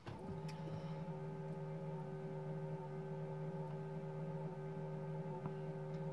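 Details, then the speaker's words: 2000 Land Cruiser Colorado VX J95 1KZ-TE, ignition switched on: a steady, even electric whir at one pitch for several seconds. Owner suspects the remnants of the radio aerial motor, unconfirmed. "that noise i think it does this when you turn the ignition on and off i think it's the remnants of the radio aerial motor which just fires up for a few seconds all the time"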